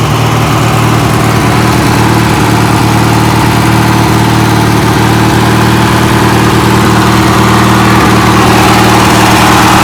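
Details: 1980s Sears Craftsman II, Briggs & Stratton 18 hp twin, after carb clean and new starter, running on choke just after start: steady low thrumming beat, a touch busier than warm idle, no stumbling; normal running on choke.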